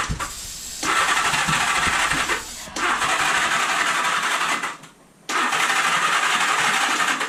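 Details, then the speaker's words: 1978 Honda Gold Wing after years sitting, choke out, on starting fluid with a weak battery and a starter clutch that isn't engaging reliably: three rough bursts of firing, each dying after a second or two. It runs only on starting fluid; the fuel pump needs cleaning. "trying to run [Applause] oh there we go it fires it runs it's running i killed it with starter fluid"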